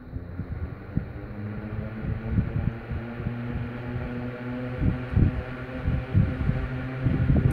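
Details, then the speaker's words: Westinghouse LivelyAire 10LA4 10-inch single-speed oscillating desk fan, circa 1960, plastic blades, just switched on: steady low motor hum under soft airflow, few light bumps, no grinding; oscillates very slightly, very quiet, runs normally. "oscillating very slightly it's very quiet"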